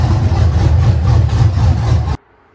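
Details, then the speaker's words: LS V8-swapped Nissan 240SX, first start on a new Haltech with a quick base tune, before driveshaft and full exhaust: a heavy, even low idle rumble for about two seconds, then a clean shutdown. Nothing abnormal. "Dude, for a quick setup bass tune, that thing started to sound good."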